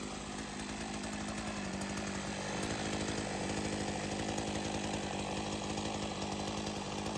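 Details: Sachs-Dolmar 100 two-stroke chainsaw, after a carb rebuild for a failure to idle, now tuned: a steady, even high-pitched buzz holding speed without stumbling or surging. It runs normally.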